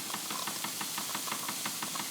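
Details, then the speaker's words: Wilesco D20 toy steam engine running; a sharp, regular knock about six times a second, which quiets when the engine runs in the opposite direction. "that knocking."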